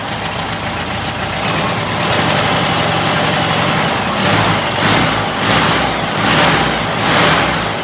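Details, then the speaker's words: Stock VW air-cooled flat-four sidewalk motor, first start after build: even, busy idle with a steady exhaust beat swelling gently now and then, no knocks or ticks; sounds healthy, normal idle. "Yeah, it sounds good. It's fun to look at, you know, and come out here and start it up, watch it run."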